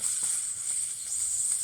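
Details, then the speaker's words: Newly installed baseboard heating radiator being bled by opening the bleeder counterclockwise with a flathead: a steady thin hiss of escaping air with some creaking, then water drips once the air stops. Air trapped in the heating system. "here a lot of here much air is coming out of here man I'm hearing I'm hearing like some creaking noises the air stopped drips of water are coming out"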